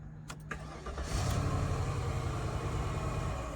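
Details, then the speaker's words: Flood-damaged Cadillac DTS convertible with a new module fitted in the back (odometer still dead): the starter cranks briefly, the engine catches with a low rumble, then the idle sags and fades out. Cause unclear; scan tool needed. Engine starts then stalls. "I knew that was coming. I knew it. I could hear the idle starting to."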